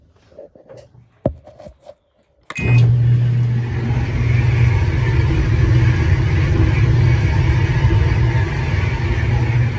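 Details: Whirlpool dryer: a few clicks then a loud, steady low rumble from a worn idler pulley, replaced with the complete idler pulley assembly W10547292.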